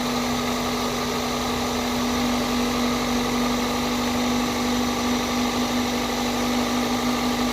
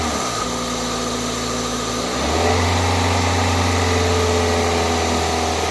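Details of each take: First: 2002 Toyota Corolla after new coil packs, spark plugs and a cold air intake, warmed up and revved a few times: a smooth, steady petrol idle with no hunting, misfire or knock, clearing up and quieter now. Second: 2002 Toyota Corolla four-cylinder just started after new coil packs, spark plugs and a cold air intake: slightly uneven idle pulse that picks up and steadies after a couple of revs while warming up. Rough idle clearing up.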